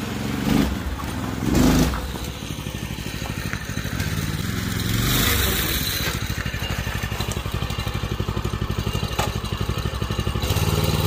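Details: Predator 212 6.5 hp OHV engine just swapped into a 1990s Manco Thunderbird minibike: quick, even single-cylinder putter with steady firing and a brief rev near the end. Runs healthy.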